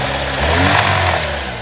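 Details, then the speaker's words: 2004 Chevy Malibu Classic petrol engine, warmed up a few minutes after the fix: picks up cleanly on a rev and idles down without stumbling or catching as before; faint metallic tick in background. Smooth rev response. "the important part is it's not catching itself on idle it just idled down like normal i mean listen that is a huge huge improvement"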